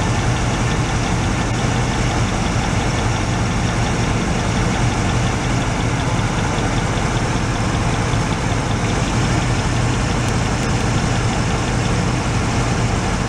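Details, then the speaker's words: 1986 Oldsmobile Cutlass Supreme, sat five years, warmed up: a deep, uneven loping idle rumble; grounding out cylinder 3 changes nothing, so cylinder 3 is the suspect. "so number three cylinder doesn't make any difference they ground that cylinder out and you'll hear any difference in the rumbling of it so that's our suspect one"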